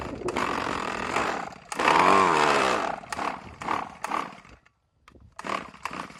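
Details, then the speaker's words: RedMax string trimmer long left sitting, run on a rich mix with Lucas 2-stroke oil, already knocking when the throttle was released: it surges, chokes and cuts out in ragged bursts with short silences, running rough after the engine blew up; the carburetor also needs work. "Guys, he just blew up. I'm being dead serious. Listen to it."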